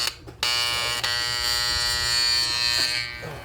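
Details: Vintage Hamilton Beach electric hand mixer, opened up and cleaned, whose mechanism feels stiff. Steady high-pitched buzz that never changes pitch: the motor is energised but will not rotate. Cause unknown; owner wonders whether the gears are misaligned.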